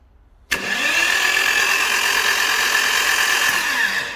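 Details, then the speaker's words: Burnt Copart Porsche 911 engine cranked with the spark plugs removed by jumping the starter battery lug to the solenoid, before a compression test: a steady, free whirring with no knock or binding and good oil pressure; normal cranking. "So we'll shunt that. And well, here, let me just do it. You'll hear what it sounds like with no piston or no plugs in it right now."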